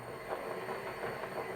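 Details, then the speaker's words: Toyota Prius transaxle motor driven by OpenInverter on STM32 sine (non-FOC) firmware, at top speed for available battery voltage: steady high electric whine, even running, no knocks or grinding; normal. Uncooled transistors heat up and slow it. "it's as fast as we're going to go, I think, with the battery voltage that I have here."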